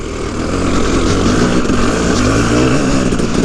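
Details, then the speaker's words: KTM 300EXC two-stroke revving: a loose, uneven clatter as the chain rubs the frame because the bottom chain roller and its whole mount have broken off. "the chain is rubbing against the frame because the bottom chain rather is snapped off well not the roller set off the whole mounts like gone"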